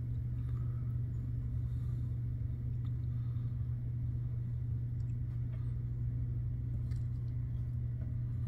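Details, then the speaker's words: Replacement Dometic rooftop RV air conditioner starting on Dometic Smart Start, compared with MicroAir Easy Start; fan kicks on: steady low hum with constant fan rush, no rattles or labouring; normal startup. "It went ahead and kicked the fan on already. We just got to wait for a minute to see it ramp up and see how it ramps up and compares to the Easy Start."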